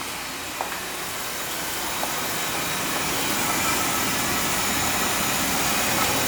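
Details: Oil furnace burner firing on a thermostat call during a test for a fan that ran all the time: steady, even rushing roar slowly building, no pulsing or sputter. Oil burner firing cleanly and healthy.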